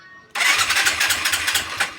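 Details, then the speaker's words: Skydrive 125 scooter, battery 12.5 V, carburetor already opened by a mechanic who blamed a valve: electric starter whirs and churns steadily but engine never catches; no spark at the plug. "Ayan kahit anong gawin Ayaw umandar ayaw kick kick ayaw Aya din kick"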